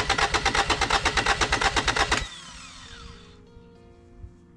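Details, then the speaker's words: Kubota L722 0.8-litre 3-cylinder diesel cranks steadily at about three compression beats a second but never catches, then stops; no fuel delivered because the injector pump part sticks and doesn't move freely. "It wasn't cranking. Actually, well, I mean, it was cranking, but no fuel was getting in here, coming throughout."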